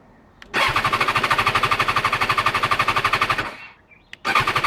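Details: BMW S1000XR no-start: each start attempt gives a fast, even clatter of about eleven hits a second for three seconds, but the engine never fires.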